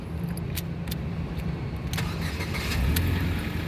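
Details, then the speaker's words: Ford Fiesta 1.6 Sport automatic 2011, 81,000 km: key click then engine catches immediately without long cranking, settles to even idle; healthy start, no sign of weak battery or starter problem. "pada saat kita start mobil pastikan bahwa nyalanya itu jereng ya jadi langsung top chair nyala"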